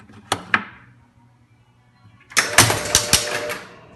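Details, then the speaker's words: Williams Hotline pinball machine after repair: two sharp clacks as A and B relays pull in to up position, then quick clicks and chimes; normal relay operation. "we go and the a and B are now in the up position which is good there's the a and the B relay"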